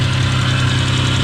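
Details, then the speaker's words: 1992 Dodge Stealth RT (6G72) after installing repaired ECU, cold first run: rough churning hum with fast faint ticking, idle rpm too high; noisy bearing. "so least that bearing is noisy and everything else so so I've never heard a 6072 run before I don't think this is right it being noisy like that"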